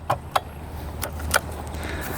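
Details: Suzuki Eiger 4x4 ATV with 2,427 original miles that would not move: sharp starter solenoid clicks with each press of the start button, but the engine never turns over; failed starter motor.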